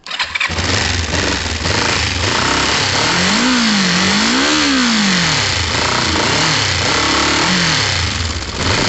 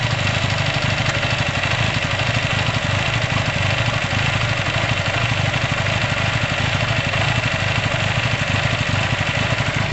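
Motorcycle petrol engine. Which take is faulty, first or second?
second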